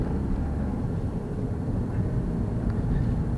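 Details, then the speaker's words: Car at 20 mph in second gear after an upshift at about 10–12 mph, now about 1750 rpm versus over 3000 in first: a low, steady hum under light road noise; easy, normal low-rev cruising. "okay 20 miles an hour road speed my revs are now about 1750 compared to 3 000 and something"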